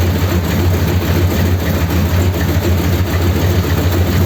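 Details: 1932 Ford sedan after fitting new high-pressure-rated hose and topping up low oil, started to check for leaks: steady low idle with a slightly lumpy beat, no knocks or misses; idling normally.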